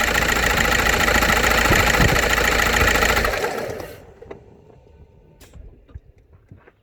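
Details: VW Passat B5.5 1.9 TDI, started after sitting a month without oil and a new oil pan: loud fast even top-end ticking over diesel clatter; lifters and cam appear okay, revving to 2500-3000 rpm for 10 minutes didn't help; cause unknown.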